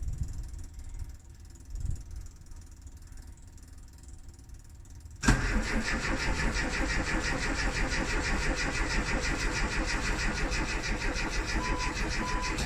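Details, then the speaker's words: Classic Rover Mini (Riley Elf) with points ignition, unused about three months, on the coldest day of the year: long steady starter churn, about three beats a second, never firing. Hard start; points later cleaned with 2000-grit paper as they tend to foul. "今日はまた今年最高の冷えぐらいだったので、まあなかなかね、先ほどご覧のようにエンジンがなかなかかからなかったので、まあでもやっとかかってですね"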